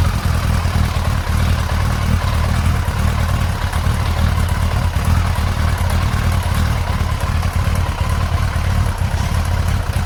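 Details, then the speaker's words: Yamaha XJ900S Diversion at idle during carburettor balancing, after the sync was overcorrected. It has a low, lumpy idle with an uneven beat and some clatter. Rough idle from carburettor imbalance. "Alright, so I've now overcorrected. You can hear the bike complaining about it actually."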